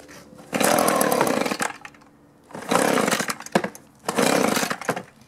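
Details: Echo two-stroke blower, four-month-old aftermarket carburetor, low-speed screw turned out a quarter turn: surges in three short bursts, each sagging and dying; debris particle later found floating by the needle valve, thought to be plugging a port.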